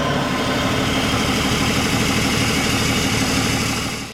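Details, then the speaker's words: BMW 525d E39 M57 diesel after freeing seized turbo geometry lever for low boost pressure: strong steady run with clear airy hiss cutting off at shutdown; runs clean, turbo charging audibly, intercooler now working. "Et ça tourne propre. Bon, hein. Ça tourne. Le turbo il charge."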